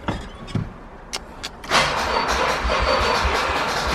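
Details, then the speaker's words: Nissan 300ZX with Mines ECU, first start attempt, nearly empty tank of old gas, no air filter: a few relay clicks, then a slow labored crank that never catches; not enough battery juice. "Not enough juice."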